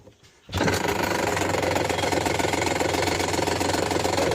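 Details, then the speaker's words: Ryobi leaf blower's small two-stroke running after a replacement blower assembly was fitted; rough, buzzy low-speed running with a tinny rattle from loose muffler internals. It bogs slightly at full throttle but otherwise works. "That sounds terrible at low speeds, but that's that muffler rattling around there."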